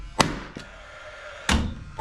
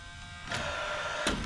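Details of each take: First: Paslode cordless lithium-ion 16-gauge finish nailer after replacing expired trim fuel cell: sharp, crisp bangs about one per second, fires every shot with no misses or hesitation; normal firing. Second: Paslode cordless lithium-ion 16-gauge finish nailer that won't fire: small fan spins up, then two sharp spark ticks on trigger pulls but no bang; fuel cell no good or not working properly, no gas delivered.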